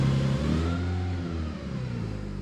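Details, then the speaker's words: Single-turbo BMW N54, first start after fuel-system work with pumps primed: brief high rev then smooth even idle, no misses or knocks; bit of air in the fuel expected, running normally. "Bit of air in the fuel, that's expected. I think we're good."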